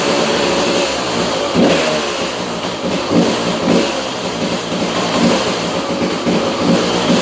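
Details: 2002 KTM 200 EXC two-stroke, first start after top end rebuild: crisp note picks up cleanly on each throttle blip and settles back evenly, no knocks or rattles; runs healthy.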